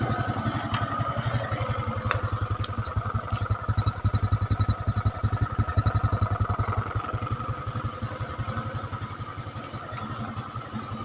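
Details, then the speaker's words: Carbureted Honda Supra X 125 after fixing a very rough-sounding engine by checking the cylinder block and up (owner says such noise is usually piston bore, head or cam chain): idles smooth and even, blips and settles, now very quiet at night. "Oke, itu ya, suaranya sangat sunyi, atau maksudnya sangat halus."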